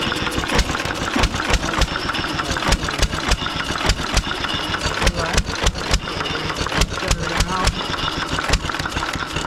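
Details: 1920s Taylor Model B hit-and-miss vacuum engine, long unused, restarted after fuel work, choked to burn old gas; loud uneven popping exhaust about three a second with gaps between firings, running properly, steaming in the heat.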